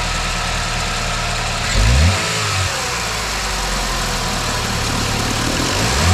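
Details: 2009 Chevy Malibu engine at idle with two brief revs after the weak, shaking belt tensioner was addressed; it runs smooth and quiet with no squeak or rattle from the belt drive on the right side of the engine. Normal idle.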